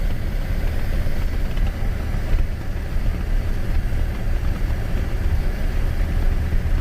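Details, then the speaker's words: 2003 Chevy S10 extended cab 4x4 on a road test over bumps after the 3rd-door latch was replaced and the door adjusted to close tighter; only steady road and engine rumble and loose rack screws rattling, and the door no longer rattles. "Right there it would have rattled normally. I can hear the screws that aren't attached to anything on my rack rattling back there. But the door's not rattling."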